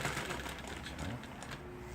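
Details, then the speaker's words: 1960s Korean-built Pagoda motor-driven sewing machine sewing after repair with new belt and upper and lower shuttle race (bandal) parts; fast, even needle clatter with no snags, the earlier thread tangling after a few stitches now gone. "아까처럼 바느질 몇 번 하다가 엉키고 했던 현상이 이제는 사라졌습니다."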